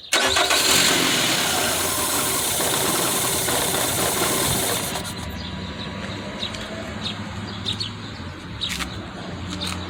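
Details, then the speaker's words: 2008 Nissan Rogue with P0300 multiple misfire, spark plugs being checked: engine catches with a loud burst then sags unevenly and stalls because the air intake hose was moved off. "So right now the vehicle is shutting off. So what I have to do, because I moved this air intake, so I got to put back this to have it running for a little bit."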